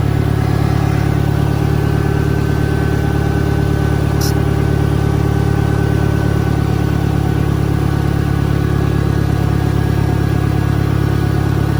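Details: 1963 John Deere 1010, original and properly maintained, 1,000 rpm, first gear on a backyard lap, needs valve seals; steady low engine drone at constant revs with a faint even gear hum, no whine or knocking. Normal transmission gear noise.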